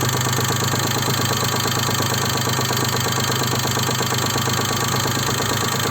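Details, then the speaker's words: Daewoo Matiz 0.8 engine at idle, distributor set to the timing mark: rapid, uneven tapping about three knocks a second over a steady idle, persisting across the whole distributor adjustment range, source unknown; engine knock. "Вот. Стук. Мне непонятно, откуда стук. Прислушайтесь. Он вообще никогда не пропадает."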